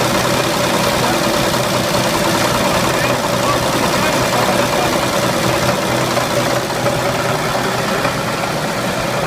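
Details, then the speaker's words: 1929 Chevrolet original six on its last run; rough idle with a loud, uneven knock two or three times a second, suspected rod knock from worn bearings, unconfirmed. "dá para ouvir que ele tá batendo bastante né A princípio a gente acha que ele tá batendo a famosa batida de biela né"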